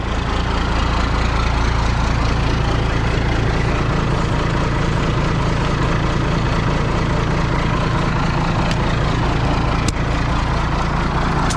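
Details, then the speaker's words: 1995 International 4700 dump truck with DT466 diesel, sat about a week, first start after priming fuel system following fuel starvation: deep, steady diesel clatter, even beat, no misses or surging; normal idle. "Well, I think that's progress. excited to hear that thing fire up. Been sitting here like a week. Awesome."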